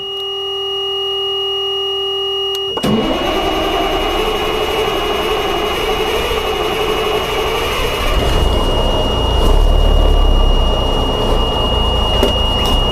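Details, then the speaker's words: Cummins NHC 250 truck diesel, cold start after a pre-oiler pump build: steady pump hum, then sharp catch near three seconds into rough even clatter that firms up; oil pressure came up immediately; healthy cold start. "we had oil pressure immediately upon starting she's cold and unhappy but she's running"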